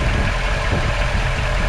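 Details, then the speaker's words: 1959 Chevy Bel Air 348 V8 with Rochester 4-Jet carburetor, still cold (thermostat not yet open), after the accelerator pump was fixed and the air cleaner base gasket refitted. Deep, steady idle rumble with no stumble, misfire or hunting; normal idle. "i made sure i put this gasket back on here for the air cleaner base yeah that runs nice now"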